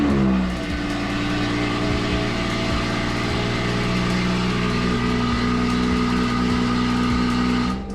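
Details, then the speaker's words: BMW 440i B58 cold start after replacing old spark plugs: catches at once, flares, then settles to a steady even idle; previously idle rpm jumped, now stable and check engine light gone. "But yeah, it sounds good so far. Idle sounds pretty good, guys. So nothing crazy so far."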